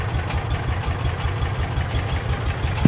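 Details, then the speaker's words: Salvage-auction Mule side-by-side, first start in neutral without choke, old gasoline likely stale; steady even low idle with smooth regular beat, no knocks, misses or surging; normal idle. "You didn't even choke it. Okay, that went better than I thought it would."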